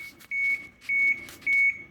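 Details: 1996 Blue Bird diesel bus, cold, key on before starting: steady high beeps, about a quarter second each, repeating roughly every 0.6 seconds over a quiet cab; normal key-on chime while waiting for the glow plug light.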